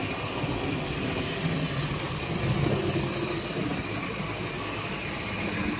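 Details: Model HST locomotive after CD motor and DCC conversion, slowed to realistic scale speed: soft, even whir with light rolling noise and no stutter or grinding; runs smoothly, though it sounded a bit rough and rattly at high speed and may need gear lube.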